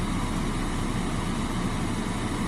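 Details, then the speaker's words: Petrol engine at idle while the alternator runs at full output with the rotor field on continuously; steady, even hum with no knocks or misses as idle rises to about 950 rpm to carry the electrical load. "now we can hear the engine idle speed increasing and now it's gone up to about maybe 950"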